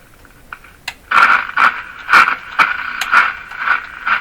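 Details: Silvertone Model 3351 five-tube radio while tuning. Rough, crackly scraping bursts about once a second as the dial turns, noisy across the band. First thought was rubbing or a short in the tuning capacitor; grounding spring contacts are now suspected. Not confirmed.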